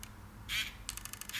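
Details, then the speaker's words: Ricoh GR1s film camera failed mid-roll without damage: short sharp clicks and a fluttering rattle of ticks, no shutter snap; aperture stays fully stopped down until battery removed, shutter never opens. Cause unconfirmed. "it just never opens never opens the actual shutter"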